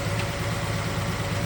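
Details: 1969 Chevelle SS big block, sat 37 years: uneven, lumpy V8 idle with a regular stumble, one cylinder seemingly missing. Pyrometer shows cylinder 3 only about 350° versus hotter others. Owner plans a carburetor check and fears a lifter or valve problem.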